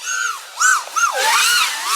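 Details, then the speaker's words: FPV quad flying Emax Scimitar 3.0-pitch props: clean motor tones sweep smoothly with throttle; the warble and oscillation of lower-pitch props is gone with stiffer, higher-pitch props the quad is tuned for. "that's all gone, because now that we're into these stiffer props, higher pitch props, this is more like the setup I usually fly, which is what this quad is tuned for."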